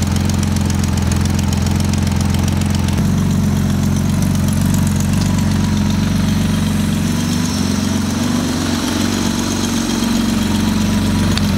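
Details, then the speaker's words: 1977 Porsche 911 barn find, first run: deep, uneven, lumpy idle wandering about 78 beats per minute, very smoky while burning off oil, slowly settling as it warms up; rough idle, cause not confirmed. "it's taking a little while to kind of even out but it's settling down a ton you can see it's just smoky it's so smoky in there but it is idling"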